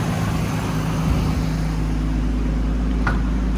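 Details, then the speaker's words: 1998 Nissan Skyline R34 GTT automatic with the Neo straight-six, after a timing belt change, idle settled following a cold start: even, steady low rumble with no knocks or misses, a normal healthy idle. "Okay, now the RPM's calmed down. Engine sounds fine."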